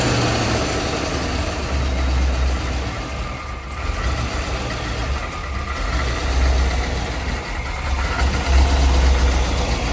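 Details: C5 Corvette Z06 50th anniversary, apparently about 50,000 miles, after replacing injectors with Siemens Deka 80s: steady low even V8 burble at idle, no misses or ticks; runs healthy.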